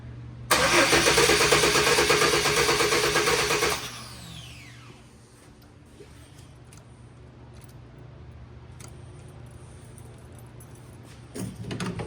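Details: Chevy Blazer (2-door, 2WD) after new fuel pump, cleaned tank, sending unit and fuel lines, key cycled to prime fuel: brief crank catches quickly into a roar, then steady even idle with no stumbling.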